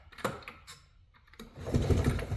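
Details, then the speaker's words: Non-running Polaris Xplorer 400 4x4 ATV (222 miles), oil added to the cylinder, pull-started: two bursts of deep rhythmic thumping, each stroke pushing back firmly, showing good compression. "She is thumping. I like to hear when they thump like that because that tells me there's some compression in there."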